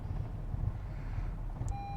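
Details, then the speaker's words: 2021 Honda Civic Type-R: engine sputters, struggles and stalls after a remote anti-theft fuel cut shuts off the fuel pump relay; low fuel pressure code set, no acceleration as remaining fuel runs out. "You hear it stalling out? Definitely sputtering. Oh, yeah."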